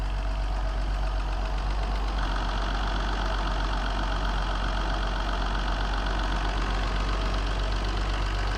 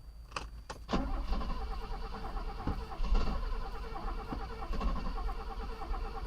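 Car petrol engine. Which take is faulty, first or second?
second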